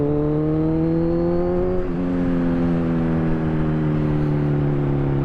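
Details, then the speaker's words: Kawasaki Z1000 exhaust on deceleration after an ECU remap through a Woolich bench harness, with no dyno tuning. Smooth note falls steadily as revs drop, with no pops or cracks: the earlier backfire is gone. "If you've heard, at least by the sound of my my exhaust, there's no more backfire."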